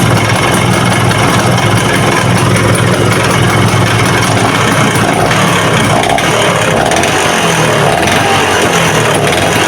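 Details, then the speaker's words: Vespa VBB two-stroke: loose metallic clatter at idle that grows louder on throttle, so the head and block are to be dismantled. "Nah suaranya seperti itu ya teman-teman ya kemelatak-kemelatak gitu ya apalagi kalau lagi mulai digas ya itu"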